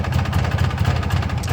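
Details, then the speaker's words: 1994 Polaris 400L 4x4 single-cylinder ATV, parts bike being rebuilt, just started: chugs at a very low, slow idle with widely spaced firing pulses; owner suspects the ignition coil. "she's got a really really really really low idle as you guys can hear it"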